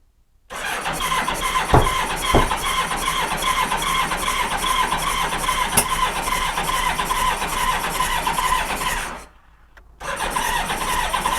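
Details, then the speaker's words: 1986 Honda Goldwing GL1200: starter churns steadily but it never catches, with sharp loud pops. The front cylinder backfires; a pair of cylinders is dead. "that was loud well guys it doesn't start don't tell the guy at the beginning of the video that it doesn't start"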